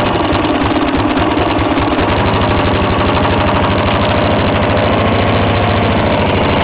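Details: 1954 reel mower with a restored B&S 6S 1.6 hp engine with new exhaust, alongside a 1984 Montgomery Ward B&S 3.5 hp TMO-37425A with a fallen stack, so rear exhaust. Quick, regular single-cylinder popping at steady speed, no skips: normal running.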